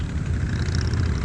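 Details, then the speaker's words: Honda ATC185 after carb mixture screw set 2.5 turns out and idle adjusted, previously revving too high: steady, even low thump of the small single at idle, no surging or climbing revs; normal idle. "Hopefully now she sounds like she's dialed in good enough, and she isn't revving to the moon."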